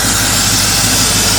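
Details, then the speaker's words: 1983 Chevy C10, 350 small-block V8, after tune-up and correcting crossed plug wires, turndown exhausts: steady even exhaust rush with no misses, pops or knocks, running clean; normal running. "Running clean, running good. Yes, sir."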